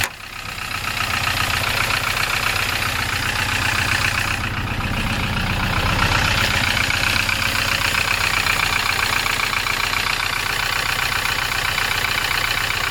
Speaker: Слышно, наверное, как он стучит. Вот, блин, такой треск раздается постоянно.